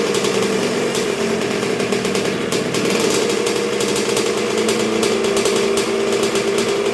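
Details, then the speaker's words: 1986 Honda CR125R two-stroke on a break-in heat cycle after a new .060-over Wiseco piston top end: crisp crackle with quick, barely-any-throttle blips that rise and drop cleanly; engine answers sharply and runs healthy. "man she wants to eat let me tell you that's barely any throttle but we can't get crazy yet we gotta take it easy on her"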